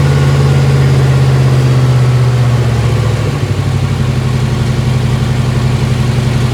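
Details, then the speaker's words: 1955 Chevy Tri-Five barn find with V3 Vortech supercharged V8, restarted after adjustment: loud, deep, even burble at fast idle with a small blip around three seconds, then steady; it sounds right now. "Yeah, she sounds on it now, dude. What do you think about that? I love it, dude."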